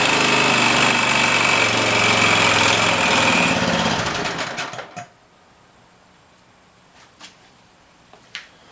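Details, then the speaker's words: OHV Briggs and Stratton engine after fixing a broken mounting bracket: small single cylinder runs with a fast, even beat for about four seconds, then winds down and stops; running normally, shaking a little. "Everything seems fine. Just turn it on."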